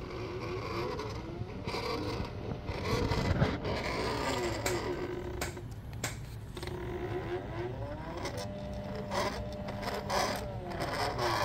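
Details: 3D-printed PLA worm gear driven by stepper motor via Arduino and A4988 driver, first prototype: steady stepper whine with rasping, creaking scrape throughout, rough mesh from loose tolerances in printed gears.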